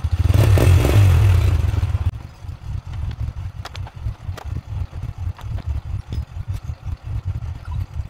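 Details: Single-cylinder motorcycle that would not start: loud two-second cranking burst, then settles into a steady, even idle thump of about four beats a second; engine starts after no-start fix.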